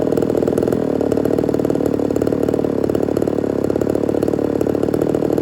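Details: Ported Homelite Super XL-130 chainsaw on its final test run: steady two-stroke idle with fast regular firing beat, no misses, surging or rattles; normal idle, oil and running good.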